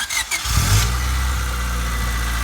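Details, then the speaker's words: 1997 Honda Civic, manual, after fuel filter and spark plug replacement: short crank, clean catch, smooth steady idle with no misses and no fuel leaks; idles a little high when cold. "That's good. You hear it running peacefully. There's no gas leak at all down here on that line right here."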